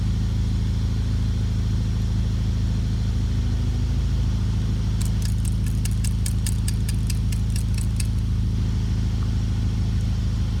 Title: Bmw Timing chain rattle/slap? Cracked main guide,loose chain and oilpump chain stretchedE39 m62tu44